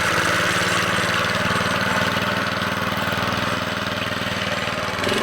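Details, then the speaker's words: Vintage 2 hp Briggs and Stratton single-cylinder engine on a Montgomery Ward lawn edger, run after sitting 2 years in storage: brisk even beat, about four firings a second, no misses; normal running. "Now that's a Briggs and Stratton for you. As you can see, this little 2 horsepower engine is just badass. Runs perfect."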